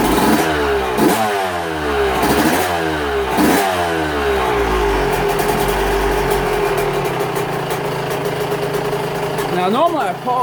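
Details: Yamaha YZ125 two-stroke warming up after fitting new V-Force reed petals; crisp blips rising and falling sharply, then a settled idle; revs clean and picks up quickly.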